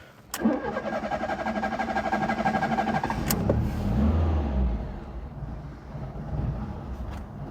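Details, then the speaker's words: 1992 Fiat Tipo 1.4S with carburettor: a short crank, then it catches and settles into a low, uneven, lumpy idle that sags. The idle seems a touch too low and the engine needs choke. "Eventually fires up. She's a little lumpy. It sounds like the idle's a touch too low."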